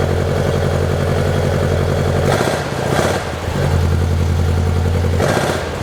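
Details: 1972 Saab Sonett in a garage, engine reportedly overhauled by previous owner, unstarted for a couple of months and boost-started: steady, even low idle with a regular beat, no knocks or misses, brief rustle midway; sounds healthy.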